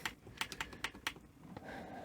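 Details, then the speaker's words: NEC PVC-740 Betamax deck (Sony SL3000-type) giving sharp, uneven relay clicks a few per second as it keeps trying to power up; higher voltages work but 12 V and suspected 5 V rails seem faulty; cause suspected, not confirmed. "um so yeah I'm not even getting a you can hear relay clicking you know and it's"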